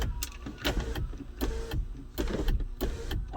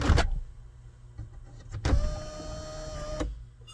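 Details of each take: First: 2014 GMC Sierra SLT 4WD 6.2L L86 with intermittent sunroof, no codes: motor whirs in short, uneven starts and stops; suspected sunroof switch sharing ground with motor, possibly bad motor assembly. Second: 2014 GMC Sierra SLT 4WD 6.2L L86 after the sunroof initialization teach procedure appeared to fix its intermittent operation: a clunk, then a smooth steady whir for about 1.5 seconds that stops cleanly; sunroof drive works normally.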